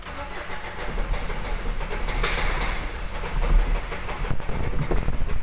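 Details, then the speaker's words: Ford Figo TDCi diesel, check-engine lamp blinking: long, labouring low rumble as it cranks and struggles to catch, starting only with the accelerator pressed, then heavy knocking. Faulty injectors found; replacing them solved the problem. Finding: hard starting. "देख रहे हैं ना, गाड़ी start नहीं ले रही है पर एक्सीलेटर करके स्टार्ट ले रहा है। बहुत नॉकिंग हो रही है।"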